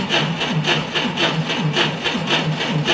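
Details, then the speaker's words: 1990 Ford Thunderbird Super Coupe after four years sitting in a barn, cranking while current is measured with an amp probe: slow, labored cranking about one beat per second, no catch; weak battery suspected. "so it looks like what we probably are dealing with here is the battery just a little bit on the weak side not quite perfect"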